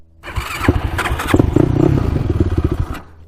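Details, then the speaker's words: 2006 Yamaha YFZ450 quad, fuel possibly off: single fires, blips unevenly, sputters a few seconds, then cuts out abruptly; engine stalling, fuel supply suspected. "Uh-oh. Maybe the gas is off. That could be. Just keeps on shutting off."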